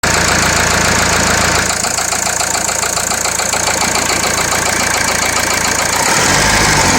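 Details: Renault Laguna 2.0 dCi 150 hp diesel at idle: a sharp metallic clatter of about three or four knocks a second rides over the engine; source not pinned down.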